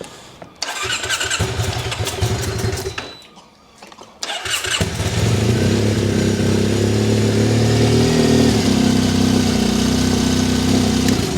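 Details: Triumph Bonneville twin: a few cranking bursts, then it catches and settles into a steady, even idle on both cylinders; owner soon hears a hissing return from the right-side plug.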